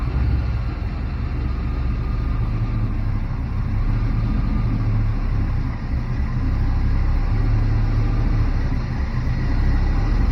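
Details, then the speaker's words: Barn-find Chevrolet C10 V8, unused 17 years, after fixing the stall by resetting timing to zero from 37 degrees over-advanced: deep, steady rumble holding an even idle with no stumbling or misses. "so that's all the problem was 37 degrees of unnecessary advanced timing i should know better"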